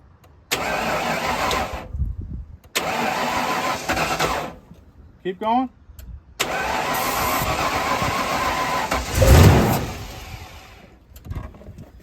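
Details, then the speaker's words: 1995 Ford Bronco parked for years, fuel pressure dropping, after fitting a new fuel pressure regulator (old one possibly gummed by old gas): short cranking bursts, catches on starting fluid, surges once and fades out; injectors feared, noid light test planned. "all right so it will hit off a starting fluid but I'm going to put this noid light tester in"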